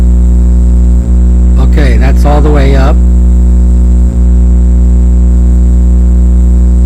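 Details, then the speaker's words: 1965 Silvertone Model 4236 tape recorder after restoration, hum control being tested: loud, steady low mains hum with motor running and a voice over it; the hum control pot is misadjusted and needs backing off to its sweet spot. "the first thing you're going to hear is the motor the hum signal coming up that's hum you're seeing right there"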